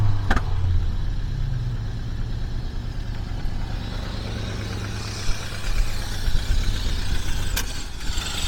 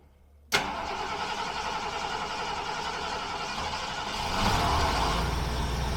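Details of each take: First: 1976 Mercury V8 just after start while setting ignition timing: uneven, lumpy idle with a low puffing beat; owner suspects an exhaust leak, possibly a leaking carburetor base gasket, while the ignition timing is fine. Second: 1976 Mercury starting and idling: quick crank, clean catch, even steady low-rpm idle with no stumble or miss after ignition timing was set; gasket replacement still pending.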